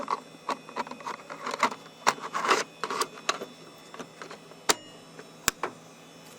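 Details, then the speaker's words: SparQ removable disk drive in a Pentium Pro PC: irregular clicks and short whirring bursts as the cartridge seats and spins up, then steady seeking ticks; working this time, reading normally. "it's working this time okay this one's working okay so it's making a sound don't know what that sound is"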